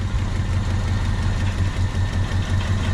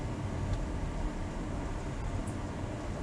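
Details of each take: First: 1996 Honda Civic coupe started after sitting 8 years, right after fitting a new distributor because the old igniter and coil were suspected burnt out; smooth, even idle with no knocks or misses, run briefly without coolant. Normal idle. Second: 1996 Honda Civic coupe unused for 8 years, on a jump box with the fuel pump relay clicking: the starter cranks in steady whirring pulses with no firing. The gas gauge reads empty and the fuel smells of varnish; cranks but won't start, no fuel.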